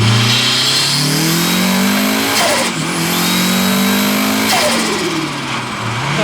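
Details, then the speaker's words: Turbo Mazda Miata, built 1.6L with unequal-length turbo manifold, driving at about 14 psi boost: climbs through gears with high steady turbo whistle on boost, then fluttering chatter as throttle lifts. "Oh, the turbo noises."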